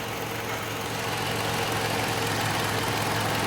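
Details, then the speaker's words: 2012 Toyota Camry petrol engine idling smoothly and evenly after misfire repair (cylinders three and four weren't firing), no misses or stumbles. "अब आप देख सकते हैं कि इतने स्मूद खड़ी हुई है गाड़ी की"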